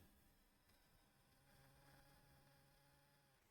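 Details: Nintendo Switch before fan replacement: faint thin insect-like buzz in quiet room, not yet at full speed; cooling fan noise present almost full-time for over a year, fan to be replaced.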